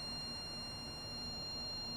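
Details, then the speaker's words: Zotac Firestorm external OC tool with display, powered up over USB via its software, microphone moved close: a faint constant high-pitched whine over a quiet hiss; the source is unknown, and the owner suspects an internal inverter converting DC to high-voltage AC. "not sure if you could hear it but that is an extremely annoying noise not sure what it comes from seems like there is like an inverter included like some thing that transforms maybe dc to ac to a high voltage or something that's how it sounds at least"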